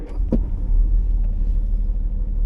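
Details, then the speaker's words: Restored 1968 Jaguar S-Type, warm restart on a warm day with the engine already at temperature and the fuel pump primed: a short starter whirr, quick firing, then a deep, steady low idle with no ticks or stumbles; normal. "so in this case it's a warm restart so it's a pretty warm day and the engine's up to temperature already"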